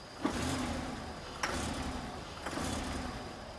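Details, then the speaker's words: 2007 Buick Lucerne 3.8, codes U0107 and P1516, reduced engine power and service traction control messages: each blip of the gas gives a short burst that falls flat, running lean and sometimes dying; bad electronic throttle body. "And sometimes it dies too, but yeah, that is definitely, let me get the key out of it here. That's definitely a bad throttle body."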